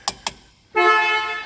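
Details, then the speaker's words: 1964 Corvette, 250 hp 327 V8, 4-speed, 58,000 miles, weak battery being charged, during appraisal electrical check: two light clicks then a clear steady horn note about a second that fades slightly; horn works normally. "the bright light indicator is working and the flashing bright light switch is working as well the horn worked"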